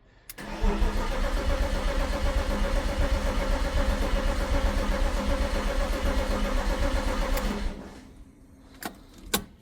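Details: 1998 BMW E36 328i Cabriolet, formerly an abandoned project, first start after priming: brief crank, catches at once, settles into a steady even idle with no knocks or misses; normal start and idle.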